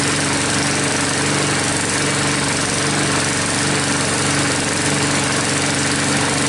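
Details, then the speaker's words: Troy-Bilt mower with a "Frankenstein" engine built from another engine's parts, just started after a head gasket replacement and still hard starting: a steady, even single-cylinder run, no knocks, misses or surging; no leaks seen after about five minutes. "well the moor is running let it run for about 5-10 minutes they have about five minutes didn't see any leaks yet"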